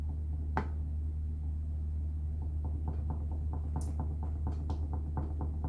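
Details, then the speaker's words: 2005 Subaru Legacy on a lift, rear axle loaded with a jack and the left rear rocked with a pry bar: light, uneven knocks about twice a second. The shock mount washer is missing on this side; the right side is nearly quiet. Cause suspected, not confirmed. "We're just testing it by rattling it. I don't know if you can hear it? But there is a cackling sound that I have been"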